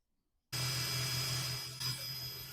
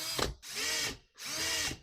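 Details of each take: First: 1980 Yamaha QT50 moped speedometer after lubing the cable and gauge's moving parts with multi-purpose oil: a steady drill hum spins it, with no squeal or whine from the gauge, fixing the earlier loud whine. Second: 1980 Yamaha QT50 moped speedometer spun by a drill via its cable: high whine with rising-and-falling tones over the drill motor, from dry mechanism, before lubrication fixed it.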